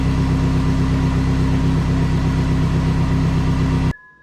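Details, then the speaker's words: Dodge Neon SRT-4 at its first fire-up after the timing belt job and the AGP front-mount intercooler and AGP BorgWarner turbo install. It has an uneven, lumpy idle with a deep stumbling beat; it is misfiring, cause not yet found, and trouble codes were pulled. "all right so fires up sounds like it's got a mess"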